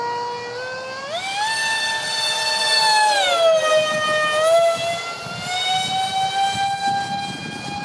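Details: Su-35 RC jet with twin EDFs, 5-blade rotors, 2600kv motors on 6S: sharp, piercing screeching whine climbing and dropping with throttle; cheap shaft adapters and mounting pads detached by vibration.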